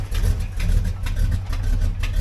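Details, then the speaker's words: 1988 Chevrolet Monte Carlo SS T-top, carbureted, cold first startup: lumpy uneven low idle surging and sagging every half second; owners think it needs warming up, clicking attributed to an exhaust leak. "yeah it probably just needs to be warmed up you know what I'm saying you know these carburetor cars but man you might need to let it warm up but that that clicking is the uh exhaust leap has a nice exhaust leak"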